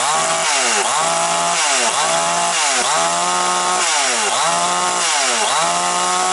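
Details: Chinese Makita-style chainsaw that came in nearly new not starting, now running after oil pump hose fix: crisp two-stroke note revving up and dropping back about once a second, pulling cleanly each time; healthy.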